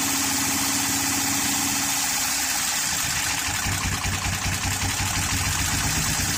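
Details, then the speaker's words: 2013 Honda Pilot J35 V6, timing belt jumped: uneven lumpy stumbling idle around two and a half pulses per second, hollow; flooded cylinders suspected. "and then the cylinders will get flooded, and without doing a flood clear, it'll just keep running like it didn't have any compression."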